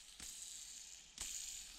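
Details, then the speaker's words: Small RC bearing from a Traxxas UDR, after cleaning in brake cleaner and air-drying: flicked by hand, light even whirring hiss that fades, no roughness; spins freely. "Okay, so it's relatively free."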